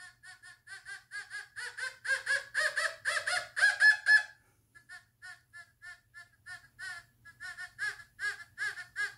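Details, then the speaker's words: Fisher F44 metal detector air test, all metal mode, volume 10, sensitivity 20, 1830s British coin, possibly copper: warbling short beeps about four a second, very faint between eight and nine but audible; faint target signal. "that's picking it up between eight and nine but very faintly but you can hear it"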